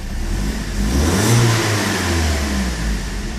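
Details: BMW M42 petrol engine at a steady, even idle with a deep low hum and no stumbling; owner reports it hesitates after warm starts, then runs normally after about 20 seconds, and suspects a dripping injector.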